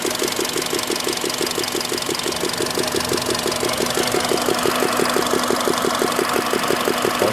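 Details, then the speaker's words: Hot engine at idle, 90 °C, about 58,600 km, quiet when cold: sharp regular ticking knock about three per second, first suspected hydraulic lifters but traced to a leaking, over-tightened spark plug with gas blow-by marks on the coil. "если появился стук первом проверьте свечи даже он видно по катушкам как газа прорывались через нее"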